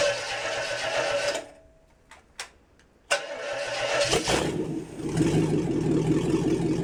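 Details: International 345 V8 at first start-up after reassembly, wiring fixed for spark, timing set by ear: fires, cuts out briefly, catches and settles into an uneven idle; rough idle, carburetor needs tuning.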